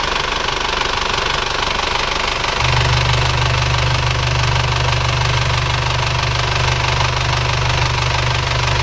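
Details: Isuzu Panther (NHG) diesel idling after an engine overhaul with original liners. Firm, even clatter at a steady pitch, no misfire or knocking. Smoke minimal, blow-by gone; repair confirmed successful.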